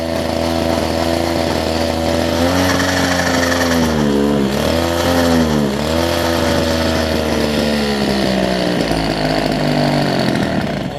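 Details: Older Homelite two-stroke hedge trimmer with new fuel lines and primer bulb, after trial carb screw adjustment: pitch sags and recovers every couple of seconds; surging rpm, mixture likely still off, more tuning planned.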